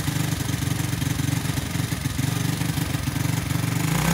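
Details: Cheap Chinese automatic 4-speed pit bike on choke after cold start: lumpy, uneven single-cylinder idle with irregular low thumps, runs only on choke and bogs on throttle; owner suspects clogged carburetor main jet, before carb rebuild.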